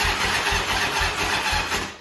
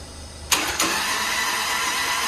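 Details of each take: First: Grandfather's Harley-Davidson motorcycle, unridden over 15 years: starter turns the engine in labored pulses, about four a second, then sags and dies; slow cranking from a weak battery, with an oil leak found while cranking. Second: Grandpa's Harley-Davidson off the road over 15 years, spark plugs out, turned over on starter despite suspected dead battery: steady, even cranking with no binding, clunks or slowing; engine turns over freely, nothing locked up.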